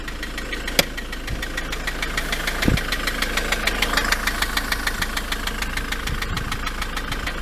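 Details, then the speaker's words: Ford Transit van, long stood, idled until warm at about 80°: steady sharp tick-knock roughly three per second clearly above the diesel engine note; knocking persists when warm, source unknown. "I've left it ticking over for ages now it's just up to about what 80° something like that I don't know but uh you can still clearly hear that ticking can't you that knocking so I don't know what it is but"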